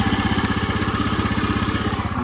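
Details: Honda Aviator scooter after cylinder, piston and valve repair with tappets adjusted: quick, even exhaust pulses at a steady idle with no tapping or misses; the engine idles normally.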